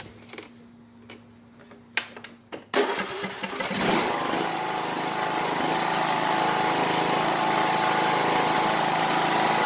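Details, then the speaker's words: Craftsman YS4500 lawn tractor starts after a few clicks, catches quickly and settles into a smooth, steady run; it runs fine now, though the owner notes it runs poorly and puffs black smoke when cold after sitting long. "all right so you wouldn't know anything was wrong whenever i go to make one of these videos it just it does that"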